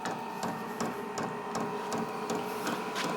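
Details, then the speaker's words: Brand-new Vevor 12V 8kW diesel air heater starting up: crisp, even ticking about 160 a minute over soft fan hum as the fuel pump feeds diesel while it lights; normal dosing pump. "so that was the fuel pump like I was brand new out of the box we didn't do anything to it"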